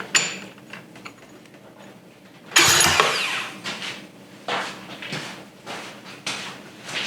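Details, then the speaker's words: American Sportsworks 5150 go-kart, apparently a Carbide with a GY6 150cc engine: short rough starter whir and scattered clatter, cranking with no firing. Starter spun before without engaging; owner suspects a bad one-way starter bearing or idler, unconfirmed. "it has to be the starter was spinning before but no one was home it's got to be this bearing oneway bearing is not good"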